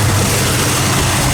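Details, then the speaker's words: 1973 Camaro Z28 RS V8 after roller rocker install: deep, even rumble through a quick throttle blip, individual cylinders firing audibly, no valvetrain ticking or clatter; normal running. "You can hear the individual cylinders firing. That's what you love to hear. That's what an old muscle car should sound like."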